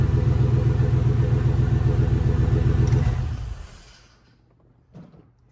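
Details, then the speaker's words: 1999-06 GM Yukon/Tahoe/Denali after auto-to-manual swap: steady, even low rumble with regular firing and no knocks or ticks; normal running, transmission working. "So, she runs. Transmission looks to be working properly."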